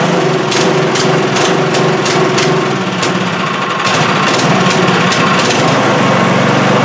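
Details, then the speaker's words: Craftsman snowblower small engine, choke off and kept alive with the primer bulb: rough, uneven running with irregular pops and sagging beats, won't run on its own or at higher throttle; suspected clogged carburetor starving it of fuel. "That's a lot of priming to keep it going. Yeah, and if I put it up too high, she doesn't seem to want to run. Yeah, guys, she doesn't want to run on her own here."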